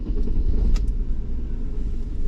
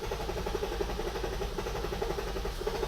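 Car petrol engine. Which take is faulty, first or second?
second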